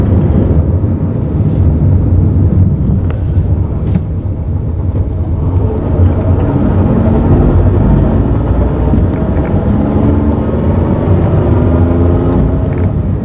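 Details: Mazda AZ-Wagon MJ23S transmission noise while driving: a steady low drivetrain drone with a faint rising whine over the rumble. Abnormal gearbox noise, cause unclear.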